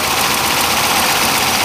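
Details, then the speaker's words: 1968 Camaro Z28 with a 302 DZ-block V8, solid lifters, steel crank, about 40,000 miles: steady, even idle with a light, quick valve-train tick on top and no misses or knocks; running smooth and healthy. "solid lifter crank this baby up running smooth and"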